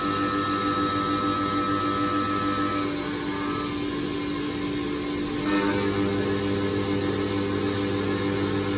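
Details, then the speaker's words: Haas Mini Mill running a cut: steady, even buzz holding one tone, shifting pitch cleanly midway, with no chatter or squeal; a consistent single tone means it is cutting normally. "So right now you can kind of hear. It should be a very consistent kind of buzz, like one tone."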